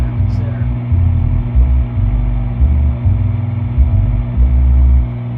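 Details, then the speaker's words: Boston Acoustics HPS 10SE subwoofer after capacitor replacement for a hum, white noise remaining: deep bass bursts with buzzy rattle on loud hits; owner suspects high output shaking the cabinet and other parts rattling. "I think what happens once it gets beyond a certain point then other parts start to rattle because we're really talking about a lot of power coming out of that speaker it's shaking the cabinet really hard"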